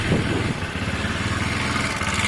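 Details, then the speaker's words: Honda SH125 scooter idling during a pre-MOT check: a busy single-cylinder idle with a light, loose rattle from the variator rollers, harmless; a new belt and rollers are to be fitted later. "but that's the rattle you can hear that rollers that's not an issue at all"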